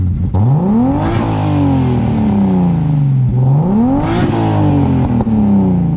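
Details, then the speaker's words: Turbo BMW M52 E30 six with a full 3" turbo-back exhaust (Vibrant Ultra Quiet resonator, Street Power muffler), electric fan disconnected. Clean, smooth rev rising and falling twice, deep even exhaust note, no knocks or rattles; normal turbo engine revving. "So I disconnected the E-fan so it's not always on, so you guys can get a more clear sound of what it sounds like."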